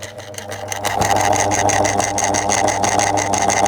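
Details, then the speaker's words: 2002 Lloytron F029 9-inch desk fan, oscillating, with little grease in the motor: harsh, gritty growl and raspy midrange buzz instead of a smooth hum; the motor runs rough, and a partly losing motor connection is suspected. "I know. He's half growling. Half half growling. Half struggling to properly cooperate and operate."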